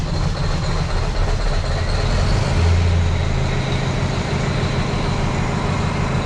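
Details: Rebuilt Detroit diesel after valve and injector adjustment with the correct injector height gauge, weak batteries, oil pressure pegged: steady low idle rumble, fairly smooth, no knocking or clatter; afterward found it had sucked dirt into the intake and charge cooler hoses.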